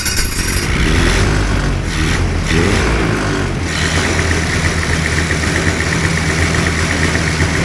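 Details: Two-stroke hovercraft engine, newly fitted coil, carbs sorted, primed and started in the shop, holds a loud, steady, even idle without stumbling while warming; normal idle.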